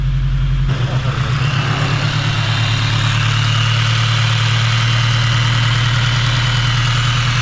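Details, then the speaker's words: 8th-gen build engine, first run, idling steady and even with no knocks, ticks or hunting; AFRs around 13, check engine light on and a valve adjustment still needed: normal idle. "all right up y'all sounds normal sounds good sounds right afrs are chilling like 13s"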